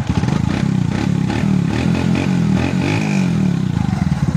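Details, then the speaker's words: Kawasaki Bajaj CT125 single after fitting an original new cylinder block: clean, even revving that rises and falls smoothly with no slapping or clatter; normal revving, connecting rod fine. "maganda na uli yung andar niya Syempre bago eh na uling ingay ah ligtas yung connecting rod"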